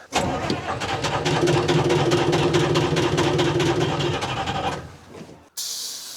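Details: Telehandler swapped from John Deere to Detroit Diesel 353 two-stroke, suspected algae contamination in fuel: fast steady cranking about four beats a second for nearly five seconds without firing; hard starting, normally needs ether.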